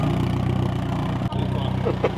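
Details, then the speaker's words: Nissan 240, single-cam KA four-cylinder with newly installed ZSS Racing exhaust: steady low exhaust burble at idle, even unbroken rumble, no knocks or misses; healthy running. "Not bad, huh? That sounds good. I like it."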